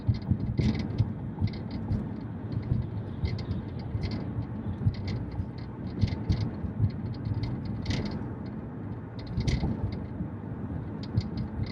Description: Does any one know the reason or solution of, rattling noise from the rear when driven on rough roads AND also when Bass of the music is increased.